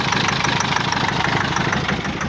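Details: GAZelle with Cummins ISF 2.8 common-rail diesel, 165,000 km, idling: steady fast rhythmic knock over a rough rumble; cylinder cut-out tests point to cylinder 3 as the source of knock and smoke; injectors to be removed and checked.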